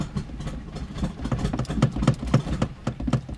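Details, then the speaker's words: 2000 Audi TT sat for about 7 years, first start after oil change and battery charge: rough, uneven chugging at about four beats a second that fades out and stalls off throttle; owner suspects old bad gas. "And she dead. Alright, we're gonna keep trying. Come on! Yes! Alright, so it's having a really hard time idling right now."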